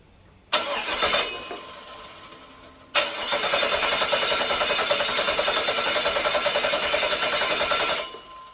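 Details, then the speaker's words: 2002 5.3 V8 on an engine stand with an eBay wiring harness, first start attempt: sharp pop while cranking, brief stumble, another bang and harsh uneven run, zero oil pressure; injector adapters suspected, not confirmed. "SC scared the crap out of me when that thing popped like that uh didn't sound good oil pressure didn't look good"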